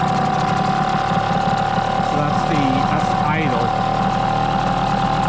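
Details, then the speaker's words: Hangkai 6hp T6 two-stroke outboard on its first-ever start, in water and still cold, on 25:1 running-in oil with the choke just pushed in: a buzzy, steady, fairly quick idle that stays up. The idle is too fast; the owner suspects the carburetor is not set well and possibly rich. "Little bit faster than I like. It is cold. So I let it warm up first."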